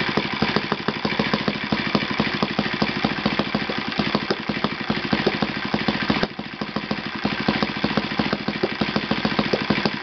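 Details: Yamada (Futaba) YS F 120 four-stroke glow engine on a test stand after a full rebuild (combustion chamber buildup, piston and ring problems), Yamada No. 4 plug, tuned over 3-4 tanks: fast even buzz holding steady, no misses, surging or rattles; normal running.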